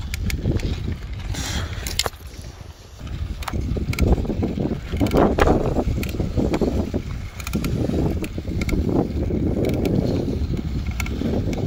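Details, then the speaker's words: Bicycle ridden outdoors: sharp crackling clicks repeat with each pedal stroke over wind noise, creaking from the bottom bracket area traced to a loose bottom bracket cup. "в начале видео вы слышали что были такие похрустывание именно когда крутишь педали"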